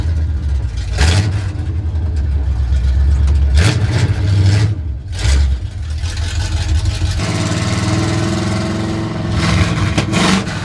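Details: 1970 Chevy C10 truck revived after 10 years parked: deep raw bark swelling on each throttle blip, settling to a rough idle; very loud because no exhaust is fitted, needs one.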